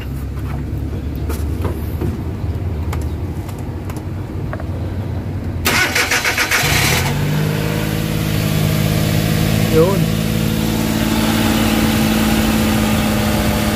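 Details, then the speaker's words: Suzuki K6A engine (DA63/DA64/DA52W) just after general overhaul and reassembly, with XADO engine treatment added: cranks, catches at about seven seconds, then settles into a steady, even idle with no knocking; normal idle. "Yan, medyo umiit na siya. So kaka-idle na yan."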